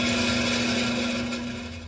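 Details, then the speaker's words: Beacon/Morris hanging garage heater fan motor, worn with much up-and-down shaft movement and greasy, briefly band-aided but already getting louder again before new motor arrives; steady hum with coarse dry rattle fading as the fan winds down; blower motor bearing wear. "that was short lived it's uh already getting louder oh well"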